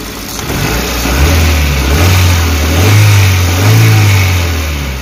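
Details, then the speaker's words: Suzuki APV (Mega Carry) that had been shaking, coughing and low on power, after a service and parts replacement on a rarely serviced van: smooth, even free revs that rise and settle cleanly with no misses or shake. The rpm is now stable and it sounds normal. "oke seperti baja ini sudah rpm nya sudah tenang Bro udah normal suaranya"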